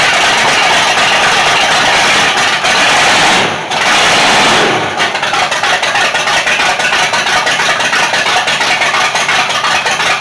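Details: Rat rod with 440 RV engine after cam install and 20-minute 2,500 rpm break-in: brief stumble then choppy uneven idle lope, big-cam thump, no mechanical knocks; normal lumpy cam idle. Owner blames low battery, alternator not hooked up right.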